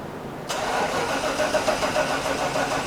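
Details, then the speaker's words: 1995 Chevy Suburban K1500 5.7 L with a cranking no-start: starter grinds over sluggishly and unevenly without catching as the battery goes weak; the distributor needs replacing. "yeah battery's getting weak see just a little noise on the um signal output from the distributor yeah my battery is dead but that's all I need to see we're done"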